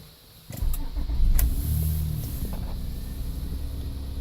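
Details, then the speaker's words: 2004 Honda Odyssey at 219,700 miles: quick clean crank and catch, then a smooth steady low idle with no engine knocks. The transmission is slipping and makes a whine. Normal engine start. "And it starts pretty easily. The engine doesn't make any noise."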